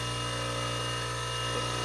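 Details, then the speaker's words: Old Wolf bench grinder after switch repair: steady, even hum with a constant whine, no grinding, wobble or rattle, well balanced; owner unsure whether the whine is a bearing. Normal running. "pretty well balanced i don't know if that noise is a bearing but i don't hear any grinding"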